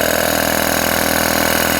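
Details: Three-phase air compressor run from single-phase 230V through a variable frequency drive, pumping back up after pressure dropped below 5 bar (cut-off about 6 bar): smooth, even motor hum with a fine steady pulse and no knocks or rattles; it is running normally.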